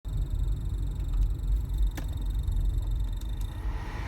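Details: BMW E46 with air conditioning running: a thin, fluttering high-pitched tone over a low engine rumble; cause unknown, owner asking what it could be.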